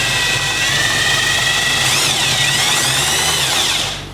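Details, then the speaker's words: 2011 Can-Am Commander side-by-side, engine out, transmission with a worn main shaft and a shift drum needing fixing, spun on a rig in low gear: steady, slightly rising gear whir with no knocking; normal. "There's no knocking there. I think we figured it out."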